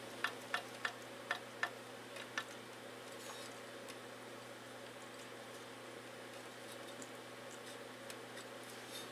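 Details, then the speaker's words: 1994 Briggs & Stratton Raptor 5 hp engine teardown, bore about 2.6 in: six light metallic clicks as the crank is rocked by hand reveal free play at the connecting rod big end; rod loose, engine needs a complete overhaul. "rod's loose. And that's not good. I don't like when I hear the rod loose in this engine. This engine is going to need a complete overhaul."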